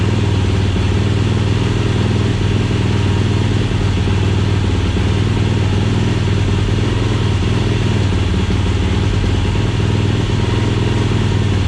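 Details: 2007 Yamaha YFZ450 SE build, started with choke on temporary leaking gas bottle: strong steady single-cylinder thump, even beat, no misses or knocks; freshly built engine runs cleanly.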